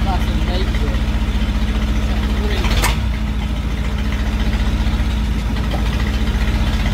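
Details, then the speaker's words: 1968 Bedford CA Smiths ice cream van petrol engine, first start after sitting, with some choke; steady, even low putter at idle, regular firing with no misses, knocks or rattles: it runs well, a normal idle. "well that's uh certainly answered the question does it run well yes it does"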